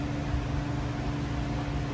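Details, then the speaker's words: True T-49F freezer condensing unit just out of defrost: steady low electrical buzz at a fixed pitch; an Orion-style relay had been replaced with a regular contactor, which buzzes; swapping it quieted the unit. "someone's changed out the the orion style relay and put just a regular contactor in there that's what's making noise"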